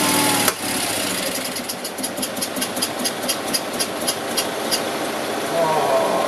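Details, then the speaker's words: Invacar engine first start after 14 years abandoned in a field: catches after a few seconds, then uneven pulses about three per second with one cylinder firing; owner suspects fuel not getting through, running only on poured-in fuel. "She does actually run. I don't think fuel's getting through, it's only running on the fuel I put in the car."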